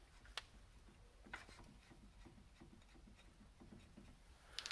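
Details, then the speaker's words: Soft dull clicks and knocks as the hub of a Jaguar XJ-S V12 is rocked by hand with the wheel off, after 600 miles and the car pulling left under braking: noticeable wheel bearing play. "but this wheel had some noticeable play in the bearing in fact you can probably hear it if i move this now"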